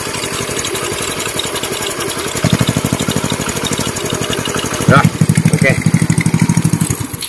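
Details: Customer's Indonesian Honda Win single-cylinder motorcycle after engine rebuild and test ride, clutch rebuilt, idling with a couple of throttle blips: steady even putter, no clutch rattle; smooth, no clutch whine, normal idle.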